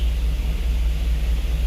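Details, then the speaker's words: 2006 Hummer H2 V8 idling with a deep, uneven rumble that stumbles irregularly; misfire traced to a failing ignition coil, diagnosed with a known intermittent coil swapped in for testing. "Si se dan cuenta, este es el del problema y me dan mis fire en todos."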